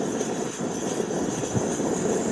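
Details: MSR WhisperLite stove, warmed up with its valve fully open: a smooth, steady roar with no sputter or surging; burning evenly.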